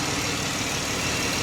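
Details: 3.6L Dodge Journey after valve cover gasket replacement for oil leak, warming up: smooth steady idle with even hiss, no ticks, knocks or stumbles; old oil burning off, no new leaks; normal idle.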